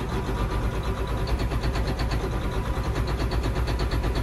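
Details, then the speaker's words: John Deere 9530 tractor, 13.5 L diesel, with fuel pressure fault code and a fuel pressure sensor reading about 20 psi off: rough, shaky, uneven idle around 990 rpm, smoothing out above 1350 rpm when pilot injection stops; cause suspected, not confirmed. "So here's this rough run. I don't know how good the camera's picking that up, but"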